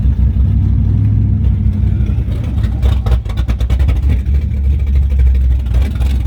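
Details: Car with Summit Max E5500 fuel injection kit after replacing a faulty injector (part 193300545-3): catches and runs steadily, smooth even low rumble through clean revs; all four injectors spraying, healthy.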